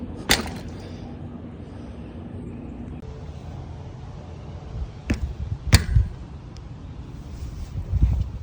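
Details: RockShox Pike fork on a 2020 Canyon Spectral AL, while riding: sharp, isolated pops and clicks over low rumble; fork or frame source suspected, not confirmed; subject of a warranty claim.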